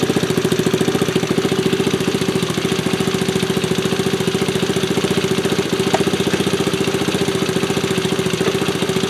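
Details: 1974 Honda ST90 with a fresh top end, started after adding gas: quick, even single-cylinder putter holding a steady speed with no knocks or misses, and the engine runs healthy.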